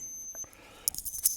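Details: Invicta Supersonic Electronic Master Mind game, repaired cracked power-switch track, drawing about 120mA at 3V: short run of high, clean beeps in quick bursts on winning, no buzzing or dropouts; sounder working normally.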